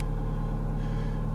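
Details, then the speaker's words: Neglected 2006 Ford Fiesta Mk6 1.25 Duratec, started for a first check: a smooth, even low rumble with a steady beat and no knocks or ticks; the engine idles normally and sounds fine. "okay let's start it up and see what happens the ending sounds fine"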